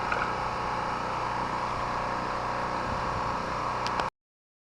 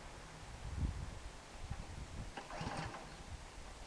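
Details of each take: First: Chinese Honda-clone portable petrol generator, unused about a month, run about 15 minutes on mostly year-old stabilized fuel: steady, even drone at constant pitch with no misses or surging; running smoothly and healthy. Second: Snow blower being run dry before spring storage, little fuel left in the tank, primer bulb sputtering: a few weak uneven thumps and sputters that never catch; hard starting, likely out of gas.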